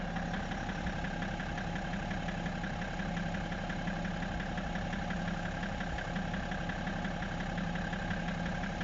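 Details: BMW E60 535d diesel at idle: faint, irregular knock about two per second on the low rumble; owner unsure what is knocking in the engine, origin unknown.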